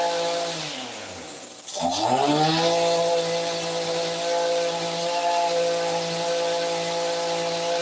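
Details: ECHO SRM-2620T 25.4cc two-stroke trimmer after Walbro carburetor overhaul: engine dips, catches and climbs to a steady high buzz that holds without surging or sputtering; runs healthy.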